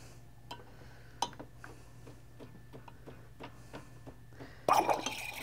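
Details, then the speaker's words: Saeco Pure superautomatic espresso machine thermoblock heater during steaming, heating on the fly; soft uneven thumping ticks over low pump hum, then burst of hissing steam; normal thermoblock pulsing. "as you can hear that thumping that means it's a thermal block so it's heating on the fly on these paneros"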